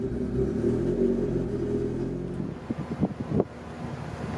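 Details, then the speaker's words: Honda Civic EF after trailing arm repair, battery reconnected and fuel pump listened for: even cranking rumble a couple of seconds, then sputtering catches as engine fires and settles to low run; cranking and starting. "i put the battery on let's listen for the pump if i could hear it let's try to start it"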